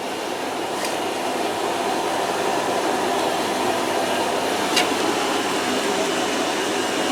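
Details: Washer-dryer on its drying test, already warm and heating: an even, airy rush of the drum and fan with no knocks or scraping, so it runs smoothly and the drying run is normal.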